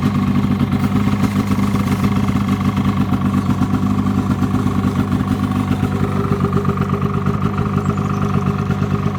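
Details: 2007 Polaris 600 HO LX Cleanfire snowmobile, before tear-down, revved on stand: steady two-stroke buzz with quick rev blips and an even, crisp firing rhythm; engine runs fine.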